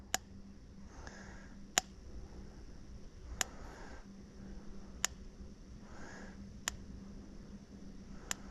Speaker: sounds right sounds like the right pattern I hope that moo was a cow touching the fence